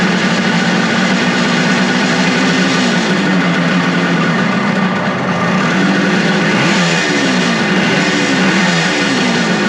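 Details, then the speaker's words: Suzuki two-stroke motorcycle after carb cleaning, with the vacuum-operated petcock port covered by a finger to stop a big vacuum leak: a crisp, steady note with smooth blips and no misfire; points unadjusted but timing sounds right on. "And it ran much better. I didn't expect it to light off that fast and run that good. I mean, I didn't adjust points at all. It sounds like it's right on."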